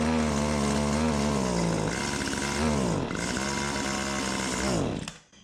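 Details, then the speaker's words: Stihl HS80 hedge trimmer two-stroke, idles fine but falls on its face on throttle, fresh fuel, choke off in run position: buzzes then sags and drops in pitch, stumbling at wide open; bogs down. "But anyway, wide open, it was bogging down."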